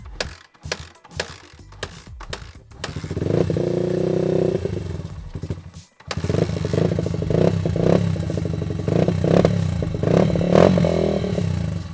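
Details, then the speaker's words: Honda XR80 dirt bike single-cylinder after carburetor rebuild, aftermarket BBR exhaust: stumbles and surges unevenly as it revs and settles; rough running despite clean carb, exhaust-related cause suspected, not confirmed. "So as you guys heard the bikes still running pretty rough and a hundred percent sure I got that carburetor Completely clean."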